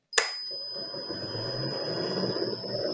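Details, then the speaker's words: Motor driven by a frequency inverter with the PWM carrier frequency raised back to 5 kHz: a low, soft hum with a faint high tone, much quieter than the harsh noise at 3 kHz. "você até vai escutar mas vai ser um ruído bem baixinho bem diferente desse ruído que aconteceu agora"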